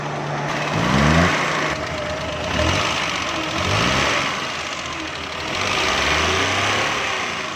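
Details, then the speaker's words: Suzuki Mehran 796 cc running on gas, smoking and backfiring: dull thudding bangs every couple of seconds as revs rise and fall; ignition point gap found nearly closed, causing backfire. "जब गाड़ी ये बैग लगाया दोस्तों, इसने कंटिन्यूस से रबड़ बाहर निकाल दिया है, ठोस ठोस की आवाज़ें निकालती है।"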